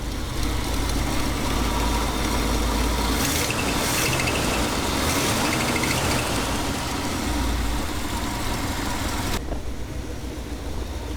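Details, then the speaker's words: 1969 Ford F-350 barn find with 352 FE V8 swapped in replacing the worn 360, coolant just added: steady even idle, smooth low rumble, no knocks or misses; running healthy. "well there you have it guys we have a running engine got water put in it and uh it's running pretty good pretty happy with it for the way it turned out the way it's running and idling so far"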